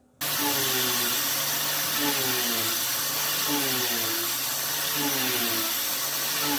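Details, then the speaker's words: YG1 3/8-inch three-flute end mill, adaptive cut at 0.090-inch width of cut, about 3.34 in³/min: the cutting whine repeatedly sags in pitch roughly every 1.5 seconds. The spindle is bogging; 0.080-inch width of cut is judged better. "you can definitely hear that the spindle was bogging down a little bit so I know I think probably 80,000 width of cut would probably be a better way to go"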